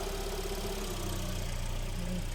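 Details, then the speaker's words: Kia Sportage 3, cold, at idle: steady low rumble with the automatic gearbox humming; the oil may be slightly low, but the hum is considered a normal design trait that stops when Drive is engaged. "вот коробочка урчит холодная может быть масло Маловато там"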